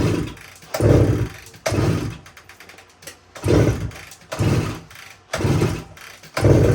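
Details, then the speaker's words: 1972 Suzuki TS185, fuel valve on, key on, choke applied: six heavy kicks a second apart, each a brief chuff that never catches; compression very low even with head gasket ring in, owner suspects worn rings. "so it's probably most likely the Rings are shot shot and um just doesn't have enough compression to start"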